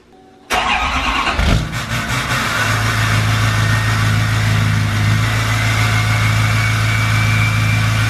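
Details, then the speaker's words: 2020 Duramax L5P diesel, tuned, cold start: catches quickly, then heavy rough idle with faint high whistle; turbo actuator failure, vanes stuck. "I just want to show you guys what it sounds like with a bad actuator it does sound sick but it is an issue it needs to be fixed"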